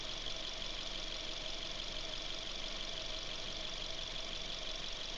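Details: Suzuki Ignis petrol engine idling with a steady busy clatter and a faint irregular tapping over the run; a strange noise of unknown cause.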